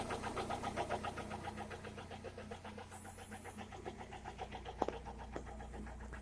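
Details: Toyota Corolla E110 with 4E-FE engine at idle: steady idle with a light, regular ticking knock about three to four per second; engine knock of unknown cause.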